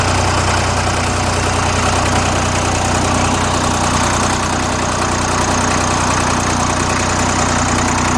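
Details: Old Dexta three-cylinder diesel tractor, about 1950–51, started with a cold start: low even diesel clatter at a slow steady idle of about 400 rpm, no misses or stumbles; normal healthy idle.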